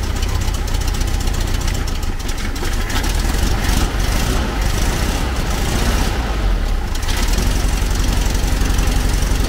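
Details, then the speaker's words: 1970s VW Type 2 Camper engine after distributor timing adjustment, warming up: lumpy, uneven idle with irregular pulses around four a second; owner suspects plugs or carb adjustment, split rubber part noticed; sluggish and down on power. "not sounding great really it might need a new set of plugs or something even"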